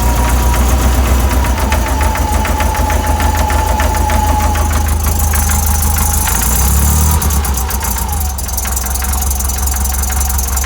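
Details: VW 1641cc flat-four, about 15,000 miles, standard crank and cam, twin DRLA carbs, idling cold. A steady knock about four times a second came from play in the aftermarket crank pulley.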